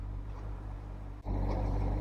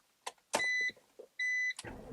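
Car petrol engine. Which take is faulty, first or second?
first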